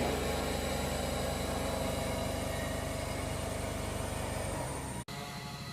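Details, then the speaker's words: Maruti Celerio CNG at full throttle held around 2500 rpm, stumbling and uneven, not revving, engine light blinking; scan shows misfire on all cylinders; engine had overheated. "വണ്ടി സിലീറിയോ CNG ആണ് accelerator not റെസ്പോണ്ടഡിങ് ആണ് കസ്റ്റർ പറഞ്ഞത് വണ്ടി raise ആവില്ലന്ന് കൊണ്ടുവന്നതാണ്"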